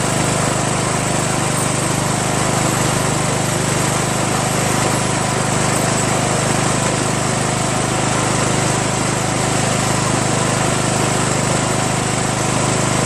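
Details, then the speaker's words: 1996 Craftsman LT1000 42 hydro lawn tractor, first run after new reproduction Nikki carburetor and starter, fuel mixture not yet adjusted: single-cylinder engine holds steady, even idle with no misses, surging or knocks; runs cleanly. "but how about that guys huh engine runs"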